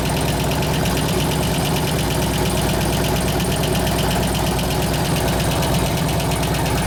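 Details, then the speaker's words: 2004 Harley FLHT Twin Cam 88 after cam change with new lifters: fast, even tick following engine speed over a loping idle; a lifter is not fully pumped up. "pretty damn responsive cam woke it up cam woke up it woke it up pretty good definitely barking yeah about half that lifter noise went away"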